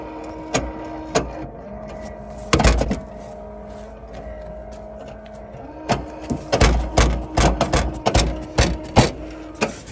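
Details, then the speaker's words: 2007-2013 GM SUV power liftgate, new replacement part on hand: repeated sharp clicks as the unlocked liftgate latch fails to release and won't open, from a failing latch actuator. "i'm gonna show you what it's doing right now it's the new part um we cannot get in here it's [Music] unlocked just hear it clicking"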